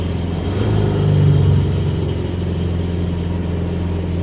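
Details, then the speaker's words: 1974 Chevy Vega, bone-stock four-cylinder, just started on the repaired stock-tank fuel system with exterior electric pump: clean short rev blip, then a steady even idle with no misses or knocks; normal revving. "there we go it's idling wow that's awesome finally finally it pays off we've got it running it's going"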